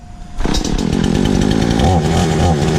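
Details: Stark Chinese chainsaw test run after ignition coil replacement: a quiet start, then it catches and holds a busy, steady two-stroke buzz with no misfires or stumbling; running properly.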